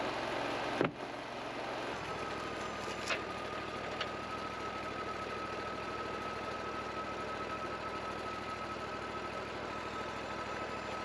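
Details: Wood-Mizer LT40 portable sawmill cutting ponderosa pine after the winter break: faint hum with a thin steady one-pitch whine and a couple of sharp ticks; owner hears something abnormal, cause unknown.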